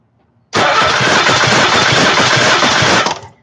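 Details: 1991 Mazda Miata being checked for oil burning, during a cylinder compression test. Steady, even cranking for about 2.5 seconds with regular compression pulses: this cylinder is healthy, reaching about 150 psi.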